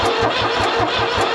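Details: New Holland L783 skid steer diesel, bought at auction as hard-starting, cranks steadily at about five compression beats a second but never catches, even with starting fluid or raised throttle; crank no start, cause unconfirmed.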